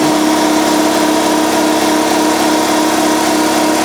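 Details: Repaired Husky Pro air compressor with modified cooling system, restarting to refill after the tank was drained: steady, even motor hum with a fast, regular pumping beat and no knocks or rattles. Normal running.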